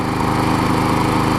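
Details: Older Troy Bilt push mower, Briggs 5hp Quantum, after main carb jet cleaned and self-propel parts removed: even, steady single-cylinder drone with no misses, surges or knocks; running smoothly and healthy.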